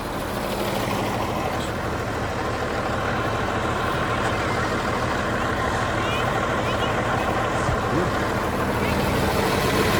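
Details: John Deere JD6081H diesel, 10,739 hours, installed in a 300D articulated dump truck being parted out for differential issues: steady, even rumble at constant speed with no knocks or misses, a healthy idle.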